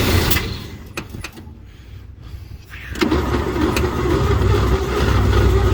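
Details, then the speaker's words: 1949 Chevy truck, first cold start attempt after sitting over 20 years, oil in cylinders, on a jump box: steady cranking at three to four beats a second catches briefly then dies. The fuel pump is not drawing fuel. "Huh. Still not drawing any fuel."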